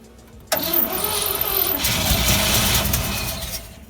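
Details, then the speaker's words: 1957 GMC 370 2-ton truck with original Pontiac 347 V8, sat 20 years, formerly seized, 6625 miles: silence, then cranking catches on fuel poured into carburetor bowl, runs ragged and smoky burning off diesel and penetrating oil, maybe not all cylinders. "Yeah, I don't know if it's running on all cylinders or not, but she fired up. Kind of smoky."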